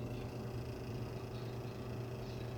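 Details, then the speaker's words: Electric fan, reassembled after the motor shaft was freed of stuck old grease with lubricant and fresh grease, tested on low speed: a smooth, steady low hum with no scraping or grinding. It runs quietly and smoother than before; the start capacitor was not at fault. "약품 에서도 잘 돌아가네요 소음도 없고 부드럽게 회전합니다"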